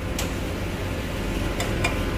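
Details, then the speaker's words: 2021 Ford Explorer, 22,000 miles, shifted between reverse and drive holding the brake, some throttle: sharp metallic ticks from behind the rear hub where the CV axle enters the bearing as the drivetrain takes up load. "heard that click again do it in reverse again and go back forward hit the gas a little while holding the brake all right that now do it again in reverse same thing it's happening right here behind this this hub where the cv axle goes into the bearing"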